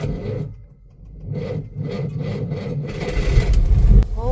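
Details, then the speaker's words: Cranking a 1963 Maserati Sebring 3500 GTI with Lucas fuel injection. The starter drags slowly and unevenly at about two beats a second, then bogs and fails to catch because the battery is very low. The battery is hidden in the boot behind a painted aluminium panel. "Oh my god, the battery is so low."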